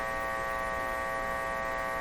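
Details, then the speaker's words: Philco 38-C7 tube radio during alignment: constant low, steady-pitched mains hum from the speaker with no program sound. Most likely generated in the audio circuits. "the hummus coming out of the speaker is the hum being generated in the audio circuits there's actually being generated back in the radio circuits I'm not sure sounds like the audio circuit so it's most likely just the audio circuits"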